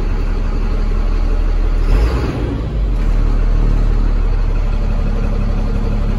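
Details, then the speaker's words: 2004 Freightliner two-axle cab and chassis diesel truck, six-speed, air brakes, 193,000 miles, in neutral: steady, even diesel rumble with no knocks or misses, a brief dip midway, a healthy idle. "let's fire it up sounds pretty good"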